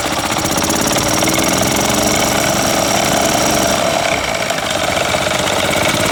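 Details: Older Yamaha golf cart single-cylinder engine, sat a couple of years, first run after no-spark repair and complete fuel system overhaul: loud, busy, slightly uneven chatter held steady on choke; running fine.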